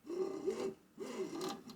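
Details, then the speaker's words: Tronxy/Alfawise X6A 3D printer after tightening the Y-axis belt: soft scraping rub in short bursts as the axis travels, the belt catching on its mount, which may need correction. Drive belt rubbing on mount. "at a few points if the belt's making a catching noise on something all right there still seems to be some problems there"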